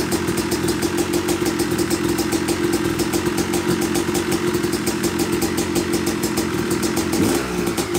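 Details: Yamaha YZ250 two-stroke (270cc/250cc) motocross bike, first start after a full engine rebuild (bottom end, transmission, bearings, clutch, power valve), took a few kicks: crisp rapid even ring-ding idle, steady, no knocking or rattles; smoke from assembly oils normal; normal idle.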